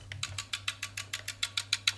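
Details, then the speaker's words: Tenda smart plug plugged in, no light, no Wi-Fi: crisp dry relay clicking about six times a second with nothing else; relay chatter from a dead, swollen electrolytic power-supply capacitor. "yeah that's all it does No Light No nothing just click click click click"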